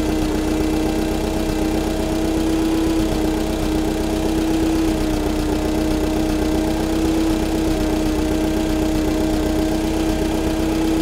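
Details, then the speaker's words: Allis-Chalmers FP-40 forklift after a full fuel system overhaul and carburetor install, no air filter fitted, idle mixture screw being adjusted: smooth, even idle at steady pitch. Spec is about 500–550 rpm, but no tachometer is on hand to check. "i don't have a tachometer so i can't really get this engine dialed in it's supposed to be about 500 or 550 rpm at idle"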